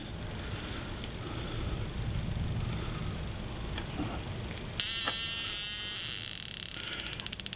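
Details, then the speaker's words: Rc-Exl ignition spark tester powered by an A123 battery, red light on: faint hum then crisp, steady snapping spark clicks about four a second across idle, mid-range and high RPM simulation; ignition working normally. "red light says it's working of course you can hear and see the spark so you have a an idle simulation mid-range you can hear it and a high RPM"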